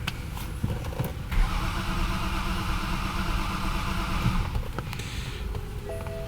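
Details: 2011 BMW 528i F10 with N52 engine, crank no start, not caused by water intrusion: starter spins the engine steadily for several seconds but it never catches; DME has lost its power supply.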